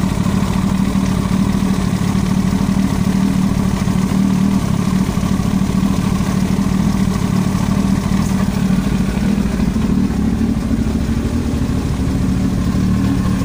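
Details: Yamaha YZF-R1 at steady idle: a fine rapid clatter over the exhaust beat, an abnormal ticking noise in the engine head; cause not confirmed.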